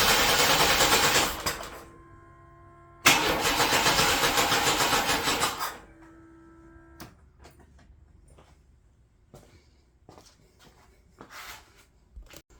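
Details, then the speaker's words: 1993 S10 Blazer, first start after engine swap, battery charging: two long bursts of steady cranking with even compression beats, never catching; distributor found installed 180 degrees out, later fired off camera. Crank no start. "Sorry everybody, I had some issues when cranking it, as you could see in the video, and discovered my distributor was 180 out, and I ended up firing it off camera."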